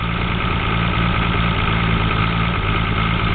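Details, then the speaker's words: Toyota 7M engine at rough, heavy idle just after startup: deep, loud knock from mid-block, suspected rod knock; 60 psi oil pressure at 1,000 rpm, engine has blow-by and is blowing smoke. "So, my problem is that the motor's not running. It's spinning, but it has a really loud knock in the"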